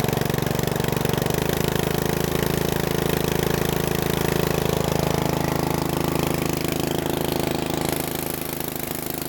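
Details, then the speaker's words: Bolens riding mower with a new carburetor, restarted after warming: steady, even thumping idle at about three beats a second that eases slightly lower. A healthy idle, though the idle screw needs slight adjustment. "I like that just need to idle down a little bit that's Miner real Miner than me that's what we needed all along"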